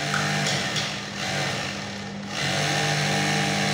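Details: Sewing machine motor gives an even buzz that dips briefly as the pedal eases, then returns to a smooth steady speed; runs normally during an oiling and maintenance check.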